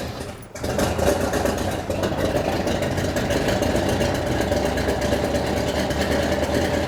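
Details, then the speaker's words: 1972 Plymouth Duster big-block six-pack V8, after valve covers refitted; lumpy, stumbling idle like running on two cylinders, timing thought way off (late) and being advanced at distributor; no longer smoking, 60 psi oil pressure, rockers suspected noisy. "it's not like burning oil like it had been and it's running I think the timing was way off"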